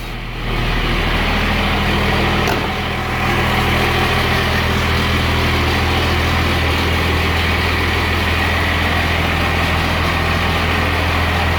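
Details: Cummins-swapped squarebody Chevy diesel truck started after installing dual plastic fuel tanks with one filler neck: even diesel clatter at steady idle, no stumbling or surging, doesn't seem lacking in fuel; healthy idle.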